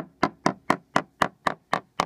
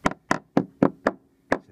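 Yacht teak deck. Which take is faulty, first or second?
first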